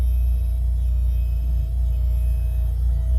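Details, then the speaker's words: Electric power steering pump mounted in the trunk of a Subaru time attack car with rear seat removed, running on ATF, heard from the cabin: thin steady mid-pitched whine over low cabin rumble. "r that whining that's the electric power steering pump"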